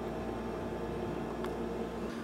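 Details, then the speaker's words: Mobicool MCF40 portable compressor fridge (Dometic group), at 7 °C with the setpoint set to 4 °C: low, steady hum with constant tone and no knocking, dropping away near the end. The compressor runs smoothly. "Il compressore intanto sta girando, il frigorifero sta scendendo sempre più di temperatura, per ora siamo scesi a 7 gradi e vediamo un po' come raffredda e se funziona bene."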